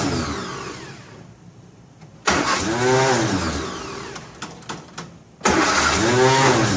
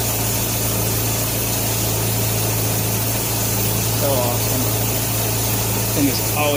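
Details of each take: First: 1957 Nash Metropolitan barn find, sitting for many years, cranked after pumping fuel with the manual choke: three long cranking bursts, each with a few firings that never catch; plug wires 3 and 4 are crossed, so it won't start. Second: 1957 Nash Metropolitan barn find that sat for many years, warming up at idle on old gas after crossed plug wires 3 and 4 were fixed: a steady, even low idle at constant speed with no misses or knocks. Normal warm-up idle.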